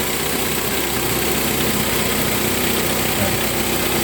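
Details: Hyundai with automatic transmission and a strong engine vibration complaint, before cleaning the carburetor and sensor: steady idle with a low, uneven thrum and shake underneath; rough idle, cause not yet clear.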